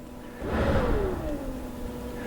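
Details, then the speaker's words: Older RVHauler truck, key on, cab blower fan switched to first speed: soft whoosh with a low tone that settles after switch-on and stays quiet and even. Normal low-speed fan. "Do you hear how it kind of went? I don't know if you can hear that in the camera, but it's nice and low."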